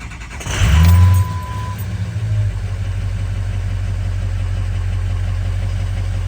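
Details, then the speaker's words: 2003 Ford Excursion 6.0L diesel after replacing both fuel filters: a short start-up burst, then a steady, even low rumble with no stumble or misfire, idling much nicer than before; the fuel filter warning light stays on. "but the car sounds a lot better than it did I should have shown you all what it sounded like before I replaced the filters it's idling much nicer right now"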